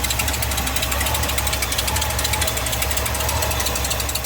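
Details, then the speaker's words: 1978 Ford F150 V8, cold start at about 86°F ground, during appraisal: rapid even ticking puffs over lumpy cold idle in time with firing, from exhaust leaks up top; otherwise no knocking, possibly some fan noise. "we got a few exhaust leaking up there"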